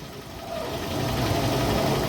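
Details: Hyundai Tucson at idle with steering turned fully to one side, after replacing all three dried-out, worn accessory belts including the steering belt; idle rises slightly under load, no belt squeal or chirp.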